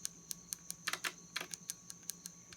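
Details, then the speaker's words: Mercedes W126 passenger power mirror motor, bench-tested on a 12 V supply: sharp, dry clicks about six a second with no movement and no running motor sound; the gear motor is failed or stuck. "let's see you can hear some clicking but no movement"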